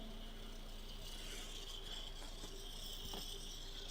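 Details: Small motor on repair bench, powered via probes: thin weak whine wavering faster then slower with a light rattle; erratic speed, running slower than expected, current varying around 130–170 mA, cause unknown.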